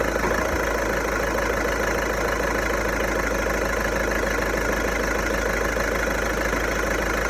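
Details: VW Golf 1.6 TDI diesel, 90,000 km, steady idle with an uneven light rattle underneath, not clearly rhythmic; owner suspects the dual-mass flywheel, not confirmed.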